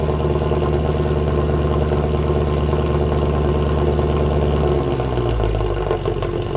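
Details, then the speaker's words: W204 Mercedes C63 AMG V8 at idle after fix (long-tube headers, sport cats, mid silencer): deep even burble dropping slightly lower near end, no rattle or drone; exhaust healthy. "not only is the new configuration quite a bit louder but it just sounds amazing there's this AMG sound that we all now know and love but it's just turned up to 11 really sweet"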